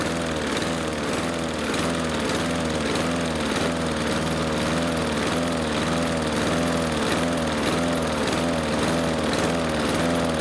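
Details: Husqvarna R 53SV self-propelled lawn mower before Sea Foam treatment: engine revs up and sags back about 1.5 times a second with no load change; surging, owner suspects blocked carburettor jets.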